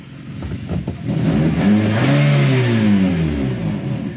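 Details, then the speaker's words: 2016 Matiz Creative after the air leak was taped, all spark plugs replaced and codes cleared: engine rises smoothly in pitch and falls back with no surging or hunting or vibration; idle and revs stable and normal. "이 안정 화 되었습니다 . 진동도 전혀 없어 요 ."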